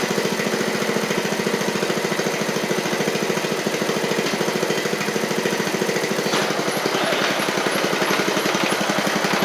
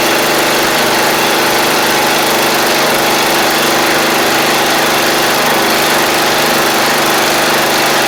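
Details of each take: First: 7-year-old MTD Murray riding mower, single-cylinder with oil a little low: it ran great at first, then chugs with a ragged, uneven beat. The owner suspects water in it; the cause is not confirmed. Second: MTD Murray riding mower, about 7 years old, small single-cylinder engine running after fuel-flow check and solenoid work: steady, even buzz with no surging or missing; everything seems to work, normal running.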